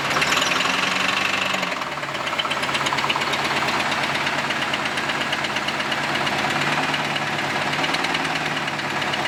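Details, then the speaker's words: Camaro started after a temporary exhaust weld: loose metallic knocking and rattle under idle swells with each throttle blip, plus a tapping exhaust leak; owner suspects loose connecting rods or crankshaft journals, unconfirmed. "so that's what we really heard pronounced when I rev the engine that sort of like rattling sound it's basically step bouncing around"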